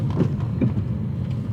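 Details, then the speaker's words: BMW E92 335i (N54) on the road after the end links were tightened. Dull low clunks over road rumble as it rides over bumps: the sway bar end links are still clunking. "yeah it's you could definitely still hear that clunk from the end links I know that's an end link clunk"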